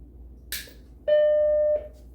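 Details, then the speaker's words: Macintosh Plus (originally an earlier Mac, dealer-upgraded to Plus standard) after disk drive replacement and motherboard recap, booting from a Mac OS boot disk: soft click, then one clear steady startup chime under a second; happy Mac appears and it boots normally. "okay bong warming up and stickers crossed there we go happy Mac and we're booting into Mac OS so that's pretty cool"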